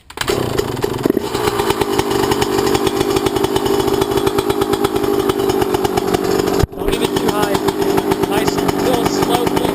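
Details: Yamaha YZ125 two-stroke, either the 2001 at its first start after a rebuild with a new Wiseco piston kit or the freshly rebuilt 1999; crisp, rapid popping holds steady and even, no knocks or rattles — healthy running.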